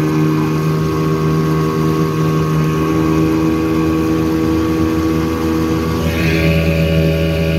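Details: 1984 Evinrude 6hp two-stroke outboard on a lake test after crankshaft spline repair with a hex-drive extension, reaching 14 mph: a steady, even drone at speed with water rush behind it, no misses or knocks; running healthy.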